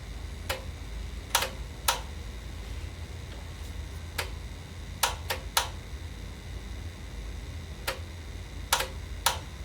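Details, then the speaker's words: Sony TC-WR710 dual cassette deck, not working on the bench, deck B; no mechanism movement, switching between reverse and forward play then stopping; sharp irregular paired clicks about sixteen a minute, no tape running; worn drive belts. "And it's just going back and forth between reverse play, forward play, and it eventually comes to a stop. Yep, see that? No movement whatsoever in the mechanism. All you hear is just clicking."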